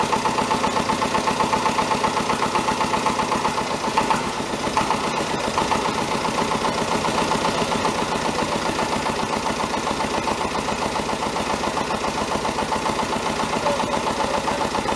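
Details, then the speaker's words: David Brown 1490 tractor diesel, first start after engine rebuild, idling: sharp tapping knock about four times a second over the clatter; owner suspects fuel injection knock, injectors sent for reconditioning. "Then I got it started up. I've got a video of that starting and running. You'll hear that it has got a bit of a knock. I think it's a fuel injection knock."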